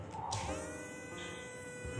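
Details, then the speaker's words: Tamiya Mini 4WD motor (dynamo) after a soapy-water break-in, rinsed and run at about 3.5 V on a GG model mini break-in rig: steady high buzzing whine at constant pitch, no rattle or scraping. It pulls strongly again because it is now clean. "Nah, ini kalau kedengeran dari suaranya sih ya, ini agak beda nih, karena dia tarikannya balik lagi. Kenapa? Karena dia bersih."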